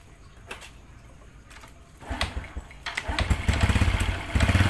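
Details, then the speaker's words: Honda Absolute Revo scooter idling: loose, uneven metallic clattering knock from the clutch area under the low engine thrum, caused by worn centrifugal clutch shoes (kampas ganda). "Hai ini bagian kopling suaranya ada kayak benturan besi ada kayak sejenis klepek-klepek klethuk sejenis benturan besi di di area kopling"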